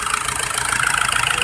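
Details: Isuzu Trooper 4JX1 diesel at idle: fast, hard clatter with an uneven, pulsing beat as the engine shakes; rough idle from an injector fault.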